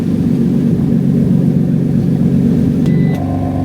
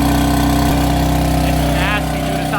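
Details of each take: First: BMW F80 M3 after refitting an exhaust flap actuator, valve confirmed closing: engine fires and settles, then several quick blips rising and falling cleanly; no tinny rattle from the exhaust. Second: BMW F80 M3 cold start at idle with a harsh, raspy rattle over the steady engine note, present for a month or two; owner suspects the failing exhaust flap actuator motors, which are being replaced, though the cause is unconfirmed.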